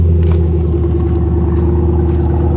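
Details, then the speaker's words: Roush 427R Mustang V8 at a salvage auction, started on jumper power, possibly fully stock, check-engine and airbag lights on: low, even rumble at a steady idle with no misses or ticks, fairly quiet. Sounds good, surprisingly not louder. "surprised it's not louder this thing might be a hundred percent stock guys sounds good"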